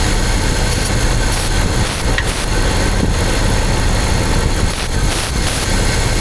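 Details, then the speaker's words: Engine after head gasket, timing chain kit and radiator replacement: uneven, lumpy idle with a stumbling beat that changes tempo when the cylinder five intake area is sprayed, revealing an air leak; needs an intake manifold gasket. "Do you guys hear the change in tempo of the engine? Intake manifold gasket is what it needs. An intake manifold gasket."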